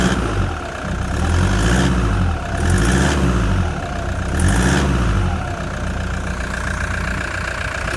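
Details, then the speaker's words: Cold Toyota Prado diesel idling after injectors were replaced by a shop and a remap, heard outside: rough uneven clatter with a faint repetitive tick; a one-cylinder leak, perhaps at the inlet manifold, is suspected, not confirmed. "i think i can hear a a leak a one cylinder leak perhaps the inlet manifold"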